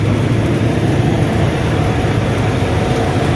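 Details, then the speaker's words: Combine after inspecting a loose bolt/bushing that let an arm rub the bearing holder: steady deep rumble and even shaking from the separator with no rubbing or knocking; running normally. "It's okay. Shaking like it's supposed to."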